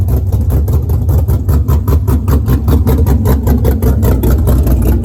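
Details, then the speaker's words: Pontiac GTO being rebuilt after a crash, started, still on open headers: loud deep even exhaust pulses at steady idle, no knock or miss. Car sometimes won't start on first try; runs normally. "there we go now it's still open open headers so it's loud"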